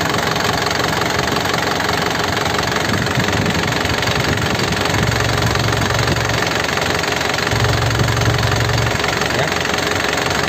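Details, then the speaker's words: 2010 Isuzu Panther LS Turbo diesel, hot after driving: steady, even crisp diesel clatter at idle with no odd knocks, ticks or rattles, a typical healthy Panther idle. "dari suaranya udah kelihatan ya masih renyah dan suaranya belut tidak ngeflek tidak ada bunyi yang aneh-aneh bunyi bubuk bunyi tek tek tek Itu nggak ada airnya khas Panther ya suaranya seperti ini"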